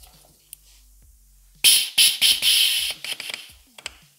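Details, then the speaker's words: BMW F-series air suspension compressor repaired, bench-tested on 12 V battery: once under pressure, the discharge valve is released with a sharp one-second hiss of escaping air, then light clicks. Normal, clean pressure release. "Now this air compressor is under pressure. I will release this discharge valve."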